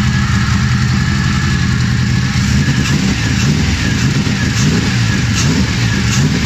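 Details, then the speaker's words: BMW M60B44 V8 hybrid (M60/M62) freshly built engine: first start after installing, building oil pressure, compression seemingly there; catches and revs strongly with a steady, full roar, no knocks or misses, running as it should. "massive relief it runs"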